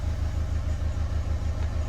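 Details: Renault Kangoo K9 diesel that flagged the glow-plug warning, lost power and would not rev, idling after reassembly while both accelerator pedal channels are graphed on a scanner: steady, even low chug with regular firing pulses and no misses or knocks. Healthy idle.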